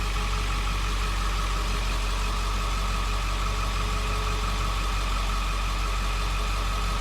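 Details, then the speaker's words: 2001 Ford Excursion after a transmission rear seal repair, on a lift with the rear wheels spinning in gear. Smooth, even drone with no squeal or chirp; the earlier loud squeal is gone and the driveline sounds normal. "well now she's running and she's actually you know she's going nowhere fast but what you don't hear is the squeal"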